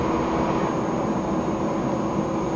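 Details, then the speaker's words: HP Pavilion Media Center PC with a very hot CPU: steady loud whoosh and constant hum from the processor fan (fan two) spinning hard at about 2318 RPM. "fan number two which is the processor fan is at 2318 so I believe it's 2,300 18 RPMs that's pretty fast"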